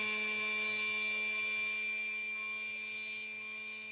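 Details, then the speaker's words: Featherweight sewing machine, known-good motor bench test confirming the bypass works: a steady high-pitched whir over a faint constant hum with no surging or catching. This motor spins freely and runs correctly, unlike the troubled motor. "so we know that our bypass is working properly we know that we've got one more one motor that's working correctly one that's not"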